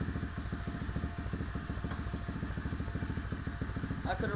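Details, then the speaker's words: SSR 125 single-cylinder with Mikuni 26mm carb, aftermarket intake and air filter, first start after fitting a new CDI box, idle screw unchanged: steady even putter at a raised idle with no misses or knocks. "could already hear that the idle speed went up, and I'm happy that it works."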